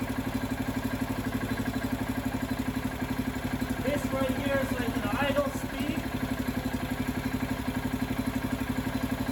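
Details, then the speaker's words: Freshly rebuilt Kohler K341 AQS in a John Deere 300 garden tractor, second startup on bottle fuel, carburetor not yet tuned, engine held by three bolts; even single-cylinder thump about four beats a second with a brief rev; normal idle. "that right there was the second startup of the kohler engine on the john deere 300 everything seemed to work perfectly"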